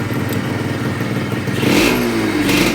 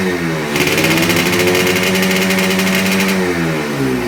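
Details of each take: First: Yamaha RXZ 135 two-stroke motorcycle at idle after about half an hour of running: busy idle with a metallic clatter and a hum, as if metal were touching somewhere, persisting through a short blip. Source not pinned down. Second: Freshly rebuilt Yamaha RXZ 135 two-stroke, throttle held back while new (needs 1500–2000 km to bed in): buzz rises on a short blip and settles smoothly, no rattle or misfire; healthy fresh engine.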